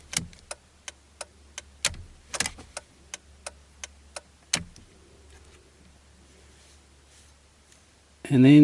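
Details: Mitsubishi Verada (Magna/Verada) indicator flasher relay under the dash, reassembled and tested after fixing a buzzing noise when indicating right: crisp, even clicks about three per second, steady and unbroken; flasher now working normally.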